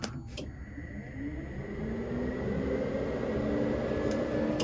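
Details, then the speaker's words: Rebuilt high-power Nissan Juke, ignition on before first start: a steady electric whir settling into an even hum with a faint high whine from the fuel pump and the radiator fan, which also drives the intercooler water pump; operating normally. "we have a fuel pump on we have our radiator fan which is also going to be our water pump for the inter cooler system which is why I use this you can hear"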